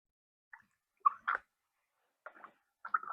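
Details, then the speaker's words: Boom Vader 125 Honda Grom clone front fork after fork oil swap: short wet squishing gurgles on each damper pump stroke; air trapped in the damper, pumped until gurgling stops and it stiffens. "And you'll hear it gurgling. And you want to pump until it don't gurgle."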